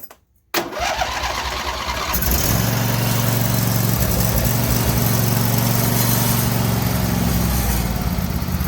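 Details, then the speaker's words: Auction riding mower with a 24 hp engine, 42-inch cut and 116 hours, which sat outside for an unknown time. With only a new battery and its old fuel, it cranks briefly with the choke pulled, catches at once, and settles into a steady, even normal idle. "she comes right to life the only thing I did to this mower was put a battery in it already had fuel in it it fired right up and it runs pretty well"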